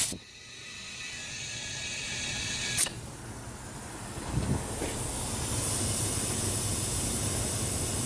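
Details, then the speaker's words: Dodge Caliber SRT-4, engine off, boost leak test at 10–15 psi after intake manifold gasket work: thin, steady air hiss growing as intake pressurises, pressure dropping; boost leak found at an open hose port. "Alright, I hear something. I had to refill it back up. But I got my soapy water. And we're gonna finish this boost leak test and we're gonna find out where it's leaking."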